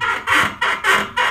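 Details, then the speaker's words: Honda CD 70 motorcycle rocked on the ground: sharp chirpy squeak about twice a second from the rear swingarm (chimta), returning despite earlier greasing; the silencer bracket rubs the swingarm because a washer is missing. "आवाज कौन सी है आपको दिखाते हैं आवाज हल्का सा इसको मूव करें बाइक को नीचे यह देखें यह बाइक हिलाते हुए जो आवाज आ रही है"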